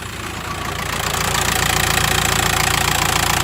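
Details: 2008 VW T5 1.9 TDI diesel at idle with a sharp, very regular rattle, roughly three or four beats a second, steady throughout; source not yet identified.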